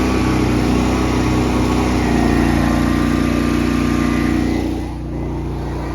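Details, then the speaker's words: Honda EB11000 generator running on propane as a heavy 34 A, 240 V load is applied: an even, steady drone whose pitch barely sags. Normal running under load. "listen for how little change there is in the sound of this generator when you you slap a 34 uh amp load on this thing, a 240 BKW."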